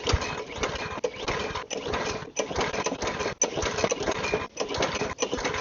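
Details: Small pull-start engine after carb cleaning, refuelled, with the primer bulb removed and spark confirmed. Repeated raspy pull-cord cranks come in quick bursts but it never catches; cranks but won't start, a fuel delivery issue is suspected.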